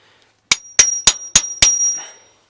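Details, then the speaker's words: Five sharp metallic pings with high ringing from a Detroit 8V71 diesel in a Peterbilt 359 after a runaway; injector plungers on cylinders 1 and 2 found stuck down, being freed. "Alright, now from the looks of it, the plunger on the number 2 cylinder here is stuck down."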